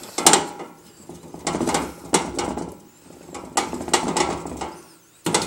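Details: Roof ventilator turbine: bursts of dry metallic clattering and ratcheting about once a second. It was noisy in cold weather and silent after washing.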